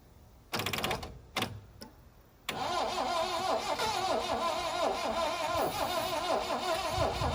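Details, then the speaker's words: 1972 Plymouth Cricket (Hillman Avenger), unregistered since 1989, odometer 64,000 or possibly 164,000; sluggish short cranking bursts then uneven churn about three turns a second on starting spray; battery sounds weak after sitting six months, engine trying to fire with compression. "Okay, it's trying to. Battery doesn't sound real hot. It's been sitting for 6 months."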